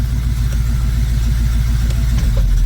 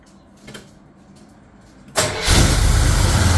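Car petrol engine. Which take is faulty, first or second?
second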